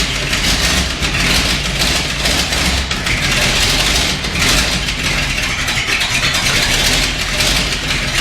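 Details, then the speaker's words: 1979 Ford F350 one-ton V8, first start after about 15 years parked in a field; factory fuel pump primed with ATF, it died from running out of gas, then restarted. Steady, even idle with a hissy top end, no misses; running better. "Well, it runs. Let's start it up again. That was it. Just running out of gas. It's running better already."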